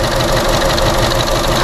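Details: Chevrolet Sonic, P0300 and reduced-power warning: shaky idle with irregular stumbles; damaged sensor doubted as the cause and an air-intake noise is heard.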